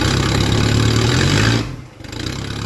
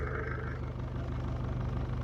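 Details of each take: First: OM616 diesel-swapped 1968 Mercedes-Benz, open straight pipe with no muffler while a new exhaust is built: engine catches and revs up and down, harsh, raspy and far too loud; unmuffled straight-pipe exhaust. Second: 1968 Mercedes-Benz swapped to an OM616 diesel, at idle with a new homemade exhaust using a Saab muffler: even low diesel clatter with a steady drone, no pipework knocking against the floor, sounds healthy.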